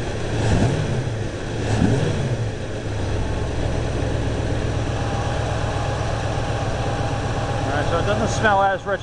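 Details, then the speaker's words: Timing advanced to about 18–20 degrees (balancer set at 10). Uneven blips as the throttle opens, stumbling before picking up, with sharp pops. Part-throttle hesitation and backfire. Cause not confirmed; leaning the carb is next. "as it did before I stuck on my far throttle hesitation and a little backfire through the exhaust"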